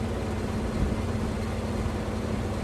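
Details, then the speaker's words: Window AC unit before cleaning: steady low hum with coarse buzzing rattle, unit shaking, sometimes louder; fan imbalance vibration. "Y'all hear that vibrating? The window unit sitting there doing like this, sometimes it's way louder than that."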